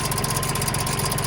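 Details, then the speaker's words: Neglected John Deere 2150 utility tractor diesel, first start without fuel system work: rough idle with quick steady ticking chatter, owner unsure if internal or external; later found fan blade hitting radiator. "Although, it definitely sounds like it's got a kick. I don't know if that's internally or externally."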